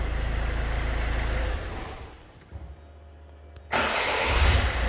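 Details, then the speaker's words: Citroën C5 2.0 HDi 2004 diesel after starter replacement: clean, even crank with no grinding or clatter, then engine catches and settles to steady idle; healthy starter compared with the faulty one before. "Voilà, on a quelque chose de plus propre et plus net que ce qu'on avait évidemment avec le démarreur en mauvais état."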